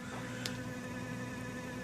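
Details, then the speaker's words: Brushless E-Revo RC truck: the ESC cooling fan hums and whines, a thin steady whine with faint squeaky overtones. Cleaning with WD-40 and re-oiling with sewing machine oil didn't stop it. Dry, squealing fan bearing; owner thinks it needs a new fan. "if you hear that funny humming noise, that's actually the ESC fan. It's just whining away in there."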